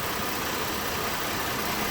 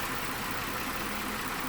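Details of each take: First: 2012 Mazda 6 3.7-litre, just started on a cold engine: loud steady rush of air from the radiator cooling fan running at high speed and pulsating, also staying on after key off; replacing the faulty fan control module fixed it. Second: 2012 Mazda 6 3.7 L, after fan module replacement (old unit full of sand) for fan running high and erratically: after 4–5 minutes running, a steady even air rush holding low speed; normal cooling fan operation.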